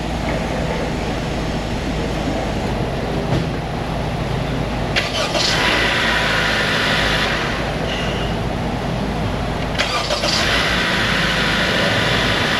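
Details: Engine fires promptly on each quick crank and holds a steady idle between restarts after the starter work, with no grinding or slow cranking; the starter works properly.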